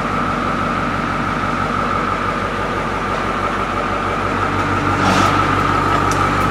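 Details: 1985 International diesel school bus at idle: steady diesel clatter, even beat about three per second, no misses or knocks; running smooth.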